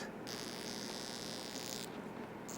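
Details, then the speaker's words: Incandescent Christmas light string being tested with a commercial zap box: a thin high buzz comes and goes over a faint mains hum, revealing a faulty arcing bulb that is warm to the touch. The string also has broken wires. "hear that noise that's what you're listening for so apparently this one has a problem so pull it out and actually it's actually warm"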